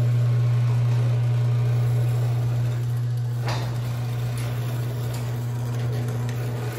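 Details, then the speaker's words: Craftsman 139.53672 opener on a 16x7 door: steady motor hum while closing, with one sharp pop partway down only, never going up. A slightly protruding bolt is catching; the owner is unsure whether the fault is the rail or the bolt needing replacement. "it's tight enough but it's sticking out like just a little smidge and what it's doing is it's actually catching on it"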